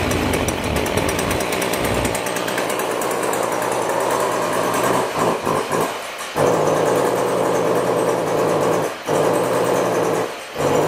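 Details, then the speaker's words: Stihl weed trimmer, small two-stroke: buzzy engine keeps bogging, sagging and nearly cutting out under throttle, caused by a carbon-clogged spark arrestor screen. "today I've got a problem with my still weed trimmer it's bogging down when I try and run it"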